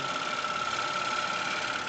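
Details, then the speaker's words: Wood lathe turning a stone pine platter with a very thin gouge gives a steady, high-pitched singing, leaving spiral waves on the surface; caused by tool vibration and too much bevel pressure; tool chatter. "But this gouch is very very thin. So I easily have vibrations and you can see this spiral waves here. This is uh because of the vibrations of the tool and because of too much pressure on the on the barrel I can try to give less pressure."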